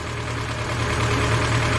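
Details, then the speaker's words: Lada Niva after engine knock repair, first trial start, engine idling while hydraulic lifters fill with oil: steady idle with an even low beat, no rattle or loud ticking; previous noises mostly gone, normal idle. "Но уже плюс-минус все звуки ушли."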